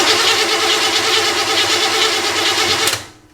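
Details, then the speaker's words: Chevrolet camper engine newly fitted with electronic fuel injection: the starter spins it at about three beats a second without firing, then stops. The tachometer needle doesn't move while cranking, so the technician says the distributor is dead. Crank, no start. "no se mueve. Entonces él dice que el distribuidor está muerto. No es mentira, viste el relojito que no funciona."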